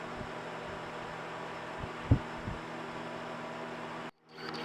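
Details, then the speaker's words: Vornado fan after cleaning, running about three minutes on high: steady even low hum, no squeal or rattle; normal quiet fan motor. "so this fan's been running for about 3 minutes. No noise. Sounds quiet."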